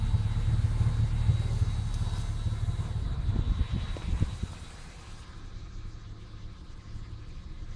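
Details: 1996 Ford Falcon EF 4.0L inline six at idle: uneven, stumbling beat and sagging revs, a misfire occurring in P, N or D; smooth with full power under load, sometimes slow to crank, compression in spec, no vacuum leaks found.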